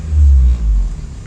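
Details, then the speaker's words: 2012 or 2013 Honda Civic with all engine mounts just replaced: fine at idle, but a deep boom swells and cabin vibrates when revving; vibration persists after mount replacement, cause still being investigated. "like at idle it's okay right here i really don't feel much it's when you start revving up [Music] you can even hear the car vibrating"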